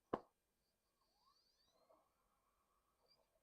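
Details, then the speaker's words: PS4 console at power-on: a sharp click then a quiet whir rising in pitch as the hard drive spins up instantly; normal hard drive spin-up, fault on another system not related to HDMI. "see I hear the hard drive boot up on this one like instantly so there is something wrong there's something else wrong with that system that's not something's wrong on that system that's not related to HDMI"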